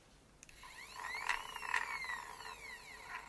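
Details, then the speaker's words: 3D-printed PETG gears on a stepper-driven PnP parts dispenser with acceleration and deceleration: whiny tone sweeping in pitch as the stepper speeds up and slows, with gear chatter; cogs possibly rubbing, may need a thinner reprint or more clearance. "And it could be the cogs are touching a little bit. I might have to reprint this one to make it a little bit thinner."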